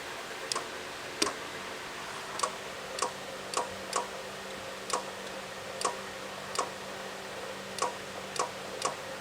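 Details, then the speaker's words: Chevy Silverado/Sierra-type truck AC compressor after clutch work, belt and wire refitted, clutch energized with a power probe: quiet irregular clicks and light ticking over a faint hum as the clutch pulls in and the compressor turns. "you can hear it moving so that means it's working all right"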